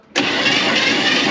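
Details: 1957 Chevy Bel Air hardtop, V8 believed to be a 283, garage kept since '76, cranked on the starter during a compression test with the valves seen moving: an even, steady whir with no catches or stalls, compression and valve action sounding normal.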